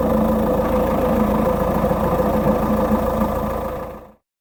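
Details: Peugeot 407 SW 2.0 HDi diesel at idle with a rough, uneven rattling chatter underneath; suspected failing dual mass flywheel, later fixed by fitting an original clutch kit and dual mass flywheel.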